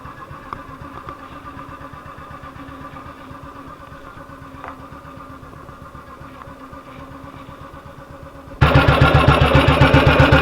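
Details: 1958 BSA C12 single on a road test after its misfire was fixed: a steady beat of roughly four firings a second with no missed beats, growing louder under load. It runs cleanly and sounds like it used to.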